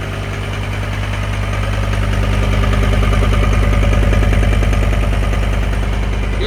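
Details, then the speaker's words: 2012 John Deere 333D skid steer, reman long block diesel, restarted after warming to temperature: even, steady idle with a regular firing beat and no stumble or bogging; healthy, though a fault code stays active. "sounds pretty good"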